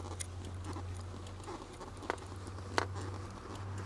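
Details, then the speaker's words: Lada Granta liftback clutch pedal after WD-40 lubrication of the former rusty-spring squeak and grind: strokes are now near-silent with an occasional faint mechanism click and no squeak. "по сравнению с тем что было просто идеально работает педаль сцепления слышен небольшой щелчок но я думаю это никуда уже не денется там видно какой-то механизм просто клацает но скрипа никакого нет"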